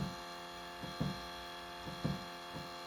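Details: Canadian 2019 Hyundai Ioniq PHEV, parked, off and unlocked at least 4 hours in garage; faint hum from under the car with a short whir about once a second, source unknown.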